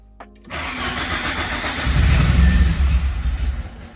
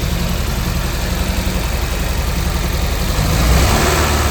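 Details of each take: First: Peugeot 205 GTI 1.6 start during restoration after earths cleaned and fuse board tidied, with the lights looking a little weak; starter churns a couple of seconds, nearly fires with uneven pulses but doesn't catch. Cause not confirmed. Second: Peugeot 205 GTI 1.6 under restoration, after starter issue addressed by cleaning earths and tidying fuse board: fires up and settles into steady even run, gentle rise with a touch of gas; running healthily.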